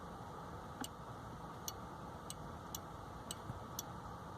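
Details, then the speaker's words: Skoda Fabia Mk III with the 'Workshop! Only leave in P position' error, after moving the selector switch plate forward and tightening its screw: crisp light clicks as the lever moves; park-lock microswitch now working and correctly adjusted. "you can hear the micro switch clicking in and out. So that would seem to be correctly adjusted."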